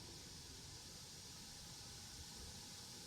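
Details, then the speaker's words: HP EliteBook x360 1040 G8 laptop after disassembly and fan replacement, heat sink reattached: fans spinning fast but quietly, soft even airy hiss with no buzz or rattle; previous noisy fan buzzing is gone. "but there you go the fans are spinning and they're super quiet you hear that okay they are spinning fast but they are quiet"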